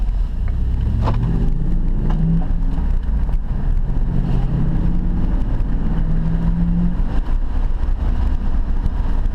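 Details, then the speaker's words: 2006 Dodge Dakota after front wheel bearing replacement (old bearing seized), test drive with engine still a bit cold; smooth road rumble while accelerating, no groan around 60 km/h where it used to groan loudly: normal wheel bearing. "That sounds like a fix. Right about 60 Ks it was starting to groan. It was really, really loud. No more groaning noise."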